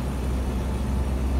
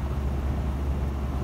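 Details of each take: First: 1976 Land Rover Series 3 109-inch, 2.25 petrol, driving: loud deep steady exhaust drone from an exhaust with holes, rusted through, blowing at the manifold, plus a stripped manifold stud botched with a too-long bolt; recorded before fitting a new exhaust. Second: 1976 Land Rover Series 3 109, 2.25 petrol, driving after a new exhaust was fitted: much quieter, an even engine purr instead of exhaust roar, though still noisy with no soundproofing. Normal running.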